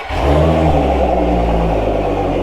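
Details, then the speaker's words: Outboard on a flush attachment at fast idle, just under 20 percent leak-down, adapter plate holed: a slight uneven stutter in its beat, said to pop under back pressure in water; misfire from heavily carboned, leaking valves. "if you listen to it you can hear it's got a little bit of a misfire almost it's like a little stutter"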